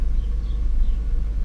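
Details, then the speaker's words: 1993 Mercedes 500SEL V8 just started after sitting about a month since winter: deep idle with uneven, lumpy pulse and beats dropping out; firing badly, misfire causing rough idle. "the point here is this car came it's firing badly and it's been sitting forever"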